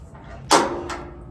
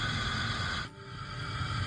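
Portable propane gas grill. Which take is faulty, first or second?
first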